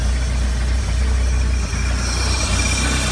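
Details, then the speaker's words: Bayliner 175 boat cranked for first time after 7+ months in storage, throttle pumped about ten times: even steady low idle over water sounds, no knocks or misses; voltage good, oil pressure coming up. "that's good I like that voltage looks good oil pressure is coming"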